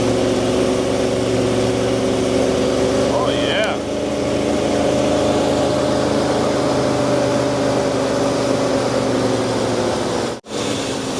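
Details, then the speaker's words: 1981 Ford truck V8 that was parked after an engine fire, revived with a new HEI distributor, oil pressure up: steady, even low rumble at idle with no knocks, misses or stumbles; a good-running truck. "Good running truck."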